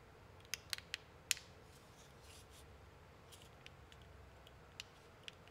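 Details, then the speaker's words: 3D-printed right-angle enclosure for a UM016 microscope: sharp irregular clicks like a tactile switch, actually thin printed parts flexing and layer lines scraping past each other. "the clicking that sounds just like a tactile switch is really just 3d prints scraping against each other and you're hearing the layer lines interlocking and scraping past each other"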